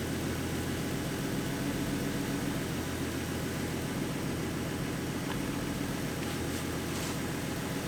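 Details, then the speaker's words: 2014 Ford Mustang 3.7 V6 after replacing the water pump with the new-version design: a quiet, even idle with a smooth low hum and no grinding or knocking; the earlier knocking and grinding noise is gone and it sounds healthy. "she sounds healthy it sounds better than it did before so yeah guys the water pump did get rid of the noise"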